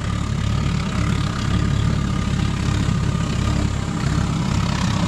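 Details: Gravity-fed waste-oil burner with small blower fitted to a DIY pot belly stove, relit after shutdown: deep, steady rumbling roar with no sputter or surging; burner lit and burning evenly, normal running.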